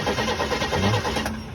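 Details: Newly bought 1977 Impala, first key turn after purchase: starter churns the engine over at an even pace for a couple of seconds with no firing; turns over but doesn't catch.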